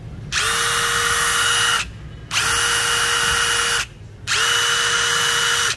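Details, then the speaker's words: New DeWalt DCF887 impact driver (DCK299P2 kit) with a 5Ah battery, free-running unloaded at speed 3 (fastest, strongest): three even bursts of about 1.5 s, each a steady mid whine with quick spin-up. It runs smoothly. "Anh ta sẽ cùng nhau nghe tiếng mấy Annabelle chỉ ở cấp độ số 3 là tóc nhanh nhất và lực mạnh nhất của"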